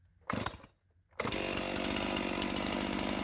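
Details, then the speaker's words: Stihl MS391 chainsaw after carburetor cleaning to cure a hanging idle: brief blips, then a clean rise to a steady high screaming rev, with much better throttle response and no stumble off idle. "so now that we got this carburetor cleared out cleaned out you can hear the throttle response is much better"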